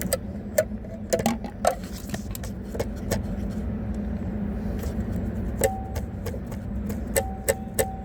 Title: TESLA MODEL 3 RIGHT HAND DRIVE DASHBOARD RATTLING NOISE